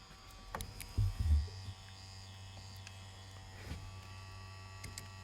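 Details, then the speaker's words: 2010 Skoda Fabia, engine off, key out, with fault code 01201 ABS valves supply voltage: steady low electric buzz under a few knocks as the ABS pump keeps running, drawing about five amps and flattening the battery. "so there's a pump running now the only reason i think the rampage is up a wee bit but when you stop the engine it's actually about five amps you can hear it's getting louder but the battery voltage will be running down as well"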